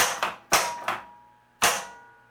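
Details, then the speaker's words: Williams Elvira and the Party Monsters pinball after fitting correct flipper assembly parts (replacing incorrect crank-link parts): three crisp clacks as the flippers fire and release, no buzzing when held; normal flipper action, much better than the earlier dull thunk. "and they're not buzzing anymore either the flippers feel and sound much better now"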